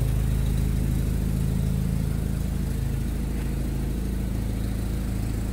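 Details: Jeep carburettor engine after fuel pump and carburettor rebuild, starting and idling: deep, even idle with a steady low rumble, no misses or knocks; running smoothly.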